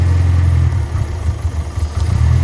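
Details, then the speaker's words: Freshly built 1275cc A-Series engine in an Austin-Healey Sprite, first start, idling after twin-carb balancing; lifting the carb pins makes the idle sag and stumble then recover, so both carbs run a little lean. "that one's a little lean. So is that one. I'm gonna dial in a little bit more fuel."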